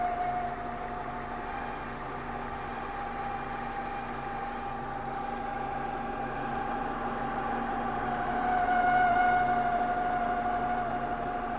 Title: BMW E46 WITH FUNNY ENGINE NOISE ...